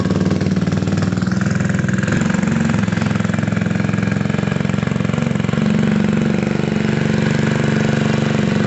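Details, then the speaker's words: Gilera DNA 125 scooter, warming up after restoration: steady, even putter at fast warm-up idle with no misses, rattles or knocks; healthy running. "cool we know it's a runner and rider that's great news"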